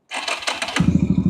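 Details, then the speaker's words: Yamaha Virago 250 V-twin, ignition box renewed, cool weather: a few quick starter turns, catches almost at once and settles into a steady, even twin beat; normal easy start and idle. "ติดง่ายมากนะครับนะเดินนิ่งๆเต็มสูบนะครับบอกเลยคุ้มมากคันนี้"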